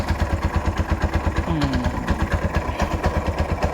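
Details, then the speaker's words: Bajaj auto rickshaw 205cc engine after refitting: a steady, even single-cylinder putter with no knocks or misses; it is okay with good pickup, though the owner suspects a slight fan-cover rub. "Okay ಇದೆ ಗಾಡಿ, ಏನೂ ಸಮಸ್ಯೆ ಇಲ್ಲ."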